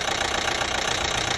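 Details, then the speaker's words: 2012 Chevy Equinox 2.4L at idle: a fast, even metallic tick of about 15 per second. It began 10 miles after a new timing chain was fitted (a worn guide had left metal shavings) and the oil pan was cleaned. The cause is unknown. "put it together ran beautiful for about 10 miles and then this knock started"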